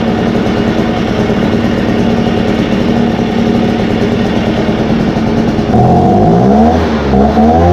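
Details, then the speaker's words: Echo 403T blower after Zama carb replacement and idle, high and throttle adjustment, at operating temperature: two-stroke buzzes evenly, picks up cleanly when blipped with no stumble or bog; normal running. "all right and that is it that pretty much got up to operating temperature it's pretty hot"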